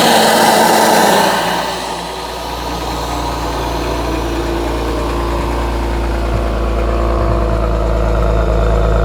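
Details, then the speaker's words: Hyundai/Genesis G70 with downpipe, high-flow cats and HKS intake, cold start: brief flare settling to steady idle with quick even ticking, the typical normal GDI injector noise. "now that clicking that you guys hear that's just like your typical GDI engine they just make that noise so don't worry if it's kind of like loud that's just typical"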